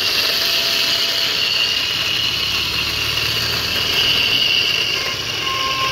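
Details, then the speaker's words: E-rickshaw with very loud noise while driving, wheels ruled out; run with motor isolated, a loud, harsh rattling knock comes from the drive motor as it spins, fault inside the motor. "तो इसका मतलब है जो हमारी problem है वह हमारे motor के अंदर है ठीक है तो मोटर इसका आवाज कर रहा है देखिए इतनी तेज आवाज"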